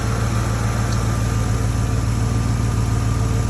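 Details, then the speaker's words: Ford F150 idling after installing two new catalytic converters, engine warming up, with an exhaust clamp leaking that may need welding. Steady even low rumble with regular exhaust pulses and no misses or knocks: a healthy idle. "Oh, listen to that girl hum. Sounds nice. Two cats on this thing will make it run so much better."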